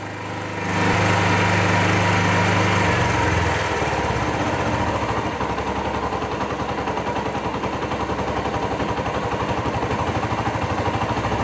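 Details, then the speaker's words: 2001 Suzuki GZ250 single settling from high choke idle as choke is backed down to a fast, sharp puffing tick at idle; exhaust leak persists after gasket change; engine runs lean, plucks off choke, pipes bluing. "pull the choke oh and you'll you'll hear an exhaust leak that I'm hoping to take care of today as well and I changed the gasket but that didn't seem to stop it"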